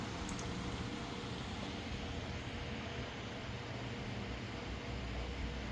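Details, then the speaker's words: Repaired GTX 1050 Ti 4GB graphics card running a benchmark with the fan set to maximum: a steady, even rush of air with no ticking, scraping or wobble. Normal fan operation. "इसको जो है एक बार फिर से benchmark on करते हैं और fan की स्पीड जो है मैक्सिमम कर देते हैं। ठीक है, फ़ैन भी ठीक घूम रहा है।"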